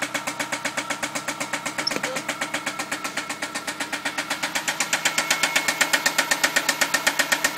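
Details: MK4 Jetta 2.0 at idle, 50 psi oil pressure: sharp regular ticking knock about four per second, sometimes vanishing ~10 seconds. Appeared after head replaced for valve tick, following oil cooler O-ring blowout at 70 mph; owner suspects rod knock or valve.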